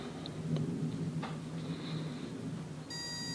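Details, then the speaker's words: Auto pulse desulfator set to 12 V, connected to a 12.1 V battery and starting its repair cycle. A few short high beeps, then a steady electronic tone with a faint buzz: normal operation. "now it should start passing it will make a buzzing sound it will make BBB and it should repair the battery automatically"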